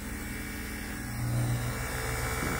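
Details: NAVAC NP4DLM cordless dual-stage brushless vacuum pump with the ballast closed, nearing 500 microns: a steady low hum with an even, unchanging drone and no knocks or surging; pulling down smoothly and healthy.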